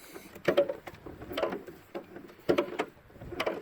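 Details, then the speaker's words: Mazda car door hinge during winter prep: short groaning creaks about once a second as the door swings while oil is being worked into the hinges. Spraying the hinges made it quiet. "The door on my little Mazda was really making a racket. So I sprayed the hinges, and she's quiet now."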